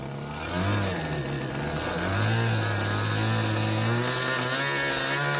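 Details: Glow engine in Ewan's Limbo Dancer model plane on its first engine run-up, needles opened a bit: a high-revving buzz swoops up and down unevenly, burbling and hesitating at the bottom end. Very rich low down; top end not too bad, with RPM lower than expected.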